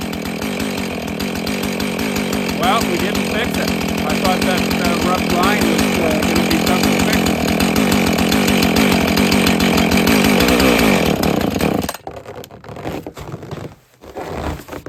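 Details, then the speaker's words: Husqvarna 450 X-torque chainsaw: it runs hard and steady, then cuts out and sputters, but the kill switch would not shut the engine off; troubleshooting traced this to a broken ground wire. "to get into this area where I thought it was the uh switch it's giv me a problems it's not uh uh shutting the uh engine off originally I thought it was this uh damaged wire"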